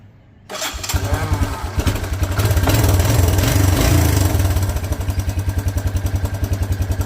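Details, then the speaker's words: 1984 Honda Big Red four-wheeler with a new ignition coil fitted: catches right away and settles into a steady, even single-cylinder thump with no misses; normal running, old coil or CDI connections suspected as the earlier fault. "Sounds like we had a bad coil. Cool. Or the connections on that CDI box are bad."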